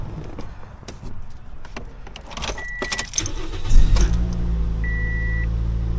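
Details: 2007 Toyota Yaris after re-tensioning the alternator belt to fix a squeak: handling rattle, then the engine catches and settles into a smooth, steady idle with no belt squeal; a chime beeps alongside.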